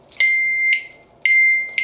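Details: Kovix U-lock with alarm, during reassembly after relocating its CR2 battery: two loud, steady high-pitched beeps about half a second each, one second apart. The alarm triggered during assembly.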